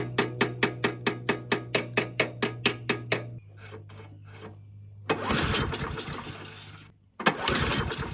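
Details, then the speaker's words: Murray 22-inch push mower, 5 hp Briggs flathead, unrun 20 years, missing gas cap, found full of water: fires in slow even pops then fades, revs surge briefly and die; not getting enough fuel, owner suspects debris in fuel line, carburetor to come off again. "yeah not getting enough fuel that's why it's not running you take that carburetor back off and check again"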